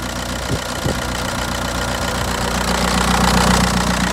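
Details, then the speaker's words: Audi A4 convertible diesel with intermittent no-start: after ignition left on and a bash, a click was heard, the dash light stopped flashing, and it cranked and fired straight up; steady, slightly rough idle with fast even clatter, no trouble codes. "i heard a click thing started to wear and the prd light on the uh dash there stopped flashing cranked fire straight up"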